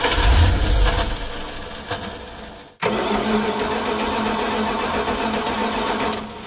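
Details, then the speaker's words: Dodge revival, fuel poured in: harsh, loud churning grind during cranking, then a steadier run; grinding noise while cranking, starter suspected. "what is that noise is that the starter yikes"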